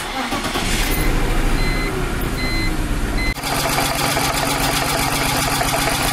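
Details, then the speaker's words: 1999 BMW E46 323i M52TU after TimeSert thread repair and new plug, coil and boot in cylinder 2: harsh uneven idle with a sharp puffing tick each cycle, suspected from cylinder 5. "i'm still hearing something it actually sounds like it's coming from probably cylinder number five"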